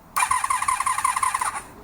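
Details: 1982-83 Honda V45 Sabre, long unused, on full choke: the starter whirs in quick pulses of about ten a second for barely a second and a half with no firing; a fuel-starved no-start, later cured once fuel reached the carbs.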